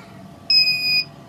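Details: Failed homebuilt inverter (EGS002 driver board) under repair on a 3 A test fuse, after turning the protection trimpot: a single shrill half-second beep, then the output drops out. Low-voltage protection trips and shuts it down.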